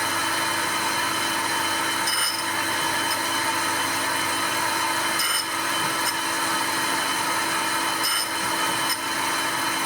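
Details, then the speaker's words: Cutter grinding on a plain-slide grinder, gibs just tightened; steady even hiss of wheel on cutter with a faint tick every three seconds; contact clean, sounds better. "That sounds a bit better."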